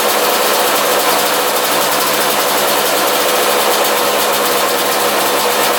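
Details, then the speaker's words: 2001 Yamaha YZ125 two-stroke after top-end rebuild, new pipe, cleaned carb: buzzy fast even idle that never settles; owner thinks extremely loose intake manifold bolts suck air and raise idle. "those were extremely loose so I think it was just sucking in air through there and that's why it was kind of idling high"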